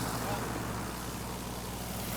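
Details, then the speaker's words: Canso flying boat radial engine morning run-up after a second cylinder was replaced: deep, even roar with a steady low beat and no misses or stumbles; normal run-up. "And this morning's run-up brings smiles. Sounds good to me."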